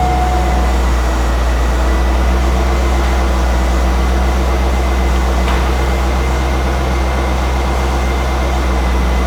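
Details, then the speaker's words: 1998 Chevrolet Corvette convertible Pace Car, 5.7L LS1 V8, 4L60E automatic, stock OE exhaust with center chrome tips, hood open: smooth even low burble at steady idle, no ticking, knocking or whine; normal healthy idle. "We'll fire that motor up just so you get to hear what that LS1 motor sounds like with this stock OE exhaust."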